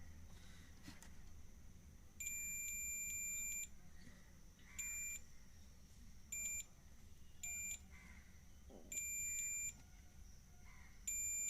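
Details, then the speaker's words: 3055-transistor double-channel amplifier with no sound after driving a 12-inch 150 W speaker: repeated meter continuity beeps as the probes touch the driver transistor, showing it is shorted and needs replacing. "Driver transistor जो है shot हो चुका है तो अब देख सकते हैं यह शॉर्ट हो चुका है"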